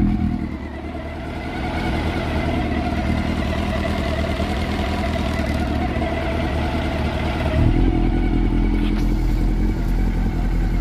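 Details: Honda CB400 Super Four that overheated and became noisy; the valve clearances had grown and were readjusted. Now being monitored: a smooth, even four-cylinder idle with a slight rise near the end and no valvetrain ticking; normal idle.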